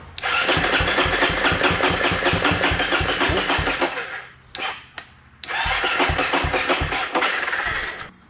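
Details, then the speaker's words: XC-F dirt bike cranks in quick even pulses, two bursts, no firing despite spark and brake cleaner sprayed into cylinder and throttle held open; owner will check valves. "hey sounds like i want to try to run but ryan all right guys so this thing's still acting up still not one to start even with brake clean down in the motor"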